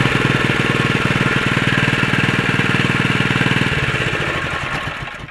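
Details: Honda GX120 small single-cylinder engine, previously running rich, now fitted with a new aftermarket carburetor and taller air filter: it thumps along at a steady, even beat, then winds down cleanly when shut off, running smoothly.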